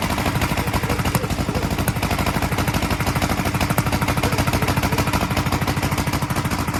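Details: 1943 Gravely Model L single-cylinder on its first start after a magneto swap to a rebuilt Wico, running a borrowed carburetor set for a 1955 L: uneven thumping at about three beats a second with sharp pops out the carburetor and exhaust; owner expects lapping the valves and checking the valve lash to help.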